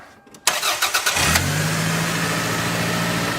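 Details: After retensioning a deliberately loosened serpentine belt with the adjusting bolt, the starter cranks briefly and the engine settles into a smooth, even idle with no squeal or chirp; the belt now runs quietly.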